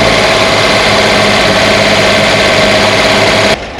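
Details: 1965 Corvair 500 engine just reinstalled after sitting almost 30 years, backing out of the shop: fast uneven ticking about three to four per second over rough idle; lifters not yet pumped up, quieted after a 5–6 mile drive.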